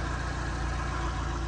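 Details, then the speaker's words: 1982 Ford Cortina Mk V 2.0 Ghia automatic, Pinto four-cylinder, heard at idle with bonnet open: quiet, even low hum with smooth steady beat, no knocks or ticks; healthy idle. "Have a little listen to that engine. Knowing these Cortinas as I do, I can assure you that's a quiet Pinto."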